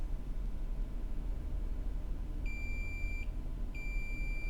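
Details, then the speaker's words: Multimeter continuity beeps on an iPhone 6 that won't charge, confirming a capacitor line is shorted to ground; heat had pointed to the shorted cap, with Tigris removed from the board. "so this line has a short to ground you can hear that beeping on the multimeter so we know that"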